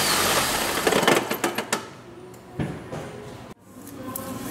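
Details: 2008 Ford Escape rattling when starting, stopping and accelerating: loose uneven metallic rattling bursts as the engine fires and runs; the flex plate moved with the starter removed, found cracked and replaced after pulling the transmission.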